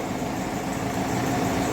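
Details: Opel Corsa D 1.4 petrol automatic at idle after the worn, noisy water pump was replaced: steady, even hum with no knocking, rattling or whine from the pump area; it runs smoothly and healthy.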